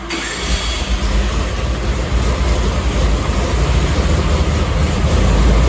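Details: 1970 Ford 351C 4V V8 on dyno, pump gas, sub-10:1 compression, mild hydraulic roller cam, roughly 430 hp and 430 lb-ft, no leaks, clean oil filter; deep, even rumble building smoothly without misses, knocks or rattles; healthy normal running.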